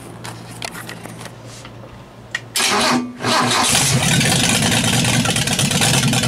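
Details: 200 engine fitted with a stock unmodified head (about 52 cc chambers) to rule out vacuum leaks in the modified head; timing about 10° initial, vacuum advance unhooked, about 10 in vacuum. Cranks, catches, then idles slightly lopey and fluttery; owner suspects valves or timing need adjusting.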